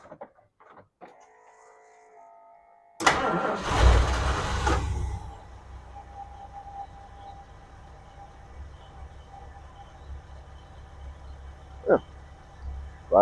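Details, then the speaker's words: Ford Falcon Club Wagon 302 V8, first start after new plugs, wires and cap, about 50°F, windy; a couple of seconds cranking, then it fires straight up into a quiet, even idle; normal start. "right up about 50° outside it's cool today and we still have 20 and 30 mph wind but fire is up running good"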